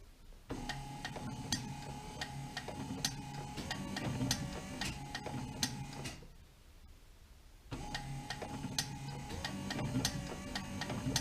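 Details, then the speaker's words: Wiper motor tested with power on, switched slow then faster, after diagnosis: whirring with fast steady ticking, brief stop, then runs again with note changing; smooth even hum of a healthy wiper motor. "Now you probably can't see the spindle turning, and I can't, but I can hear it, and I can hear the note change."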